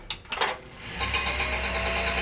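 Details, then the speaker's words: Cooler Master RP-500-PCAR ATX power supply at boot, recorded close to the unit. A steady buzzy rattle with quick fluttering pulses that persists the whole time the PC runs: the PSU fan is rattling. "every time I boot up this power fan Supply this power supply right here keeps making this noise and it's driving me crazy"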